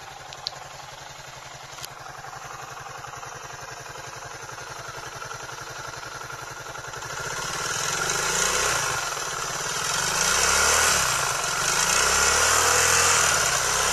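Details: Suzuki DF200E/DF200EV outboard before repair, with rough running and abnormal noise: fast, regular ticking at idle, then uneven surging with a hissing top end as it picks up; cause unclear.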